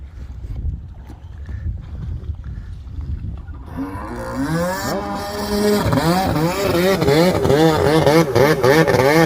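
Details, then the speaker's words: Restored Kawasaki X2 750 two-stroke jet ski, engine-swapped, on the water: crisp pitch rising and falling cleanly with throttle blips, no misses or rattles; healthy normal running. "That sounds amazing."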